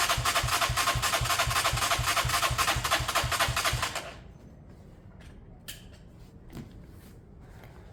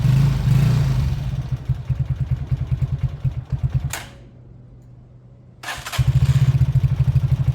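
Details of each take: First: Beaten-up old Lexmoto bike with many parts missing, choke off and possibly sun-warmed: it fires evenly at about four beats a second for four seconds, then cuts out. The carb was found empty, meaning fuel starvation. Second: Beaten-up old Lexmoto single-cylinder bike after the carb fuel feed was fixed: a fairly even idling putter dips briefly quiet, then picks back up to a steady beat. Normal idle and revving.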